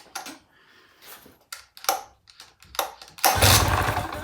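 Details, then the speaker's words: Mercury 9.9 hp outboard that ran last season but won't start, in neutral during spark check after tightening loose spark plugs: short cranking bursts, catches and runs roughly about a second; loose plugs suspected. "Yeah, it sparked. It even fired up. Well, that might be because the spark plugs weren't tight."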